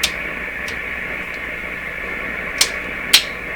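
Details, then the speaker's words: General Electric C600 tube radio after all capacitors were replaced: a constant hiss with a thin whistle and sharp crackles, and no clear programme. Poor reception with static; loose connections or solder work are suspected, and alignment is still needed. "this radio really is not working well at all so I didn't play it a lot at the end of the last video just enough to realize no it's not ready"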